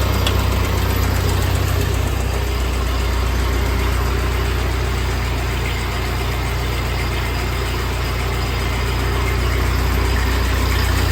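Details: 1948 Ford 8N tractor four-cylinder after a full rebuild, idling in neutral after a PTO check; new carburetor still needs fitting and adjustment: smooth, even low idle with a steady deep thump and no knocks or misses. Normal idle.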